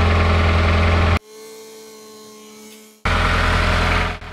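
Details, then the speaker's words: Mazda Skyactiv-G non-turbo petrol engine (2013–2021) idling: quick, loud, even ticking about four a second from the top right of the engine, the direct-injection high-pressure fuel pump, which is normal. "that loud clicking sound you can hear kind of on the top right side of the engine uh that's the characteristics of a high pressure fuel pump so it usually operates and has a really loud clicking sound and that's totally normal"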